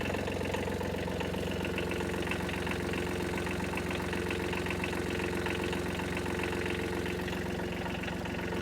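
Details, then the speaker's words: Small wheel loader diesel started after glow plugs, throttle tied back: even steady tractor-like chug at idle with no knocks or misses; running healthy. "Give it some glow plugs. Oh yeah. It sounds like one of them little tractors."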